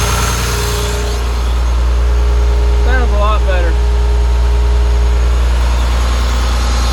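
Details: Deere 850J dozer diesel at idle, just restarted after a second teardown and rebuild to cure a slight tick: deep, steady beat at even loudness with no knocks or rattles, good oil pressure, no leaks; it sounds better.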